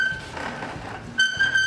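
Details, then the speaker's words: 1980s Toro S-series snowblower rolling: shrill, flute-like repeating squeak from dry wheels that need oiling. "Listen to that annoying squeak. That's the wheels. Got to oil them"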